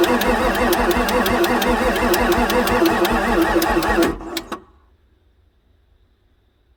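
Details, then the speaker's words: 1994 Ford F-450 7.3 diesel, pre-OBD2, sat for months, weak batteries; 44 psi supply fuel pressure, ICP sensor over one volt: fast regular cranking with sharp injector clatter, never catches; batteries suspected: cranking, no start. "we can hear the injectors firing like I said I really need some fresh batteries to crank this thing I bet you it would start"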